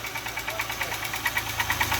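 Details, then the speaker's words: Used car at idle: fast, even light ticking high in the engine, several per second; mechanics disagree, one blames a belt-driven accessory pulley, another the valve cover area; cause unconfirmed, engine ticking. "There's something squeaking, but it sounds like it's up here in the valve cover."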